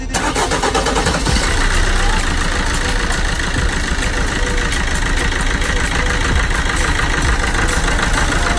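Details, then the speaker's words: Vauxhall Corsa D 1.3 diesel with previous crank-no-start after ECU repair/EEPROM swap and new fuel lines; loud diesel clatter starts straight away and settles into steady, even idle, running properly. "So I mean, when it started, it was running right, but when it starts, you've got to remember it's dumping fuel and everything."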